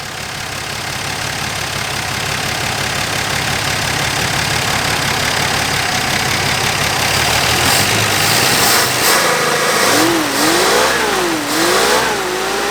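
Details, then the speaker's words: Dodge Dart Swinger (A-body Mopar survivor) with 225 Slant Six and single-barrel Holley, just revived after sitting: smooth steady idle then clean rev-ups rising and falling without stumble or knock; pulling clean gas, fuel line good, motor sounds great. "It's pulling up clean gas from the tank, which means that our line is good between the pump and the tank. Motor sounds awesome."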